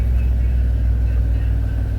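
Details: 1997 Chevy Astro with starting issue, after disconnecting the remote start relay and wiring: steady low rumble with an even, smooth beat and no misses or knocks; engine now starts and idles normally.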